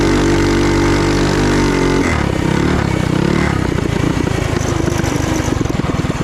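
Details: Trail Master MB200 mini bike, stage 3 223cc single, open exhaust, after replacing rubber engine-cradle bushings with metal bushings: revs hard and pulls cleanly, pulses quickening evenly under load, no chain skip; before, the chain skipped. Normal.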